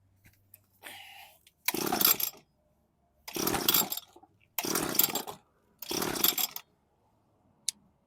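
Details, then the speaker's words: Weed eater with broken primer bulb, choke off, ignition stop switch left on; four long rasping recoil pulls with no firing at all, no spark because switch on stop; later ran, needs primer bulb, maybe carb clean. "Take the choke off. Oh, I got it on stop. So, that would make a difference. It's not going to spark if I got the switch to stop."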